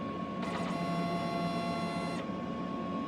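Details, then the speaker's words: DTF printer capping station after replacing the ink pump, steady motor whir with a bright high buzz while draining and drawing ink; normal ink pump operation. "there we go look at the noise yes that's what we want to hear that's how we know it's working"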